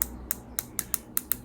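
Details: Ozempic injection pen, dose selector wound up toward the 5 mg setting before an arm injection: sharp light clicks, about eight in under two seconds, unevenly spaced; normal dose dial clicks.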